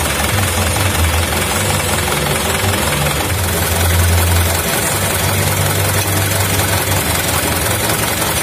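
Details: 2011 Mitsubishi Canter Super Speed diesel truck, which had a rough sound, heavy throttle and weak power traced to a broken injection pump timer: steady idle with an even low clatter, no misses or hunting, during idle adjustment.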